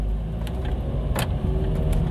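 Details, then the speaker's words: Honda CR-V pulling away after a stop on a test drive: a single sharp clack over the low driving hum as the power door locks fire uncommanded; doors also unlock right after being locked. "Okay, they just locked. And he says after every time he comes to a stop, they go crazy."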